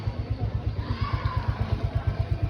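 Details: Motorcycle that kept stalling while running, idling after the old spark plug was refitted and seated fully: steady even single-cylinder thump about eight beats a second, no misfire or stumble; now running normally.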